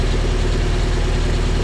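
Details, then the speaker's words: Willys Jeep after rebuild using original parts, cold start on choke, no temperature yet, good oil pressure: steady even fast idle with deep smooth beat, no knocks or misses; normal fast idle. "still got a fast idle going no temperature showing yet good oil pressure just heating up"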